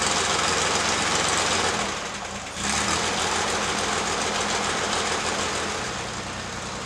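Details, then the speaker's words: 1960s air-cooled flat-six project car, after carburetor adjustment and reassembly, cranking: fast even chugging about four beats a second falters and resumes, but the engine never catches; no start. "Check our work, and then we'll start it up and see if it idles any better or at all. Now it's just not going to start."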